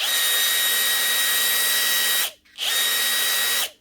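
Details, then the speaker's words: Power tool after regreasing (oil leak found; grease likely not the cause), run in reverse then forwards at full speed: very high, screaming whine with instant heat; overspeed, suspected damaged Hall-effect sensor. "Forwards full speed. Holy hell. That is running so fast. How does it even do that?"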